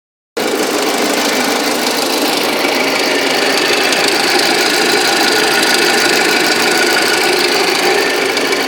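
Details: Audi A6 at idle: steady idle with an uneven, rough knocking tick about three per second; engine knock present, cause not stated.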